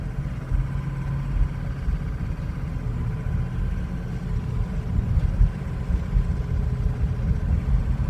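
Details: 2003 Ford Excursion 6.0L Powerstroke diesel, suddenly running poorly over two days: deep idle with uneven, lumpy pulse and occasional surges; rough, stumbling idle worsens as it warms, may stall, hard hot restarts, starts well cold; cause unknown.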